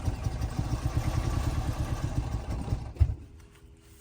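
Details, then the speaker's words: 2004 Scion xB sat two years, weak flickering battery, fuel gauge on empty: starter churns uneven low chug without firing; cranks but no start, suspected lacking fuel. "think it needs some fuel."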